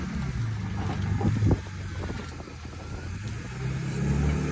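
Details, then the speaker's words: BMW E46 wagon, jump-started after exhaust leak repair: engine catches and settles into a steady low idle with a couple of blips, no ticking or puffing; exhaust sounds sealed. "Definitely needs some love, but this thing's looking sick. It sounds so good."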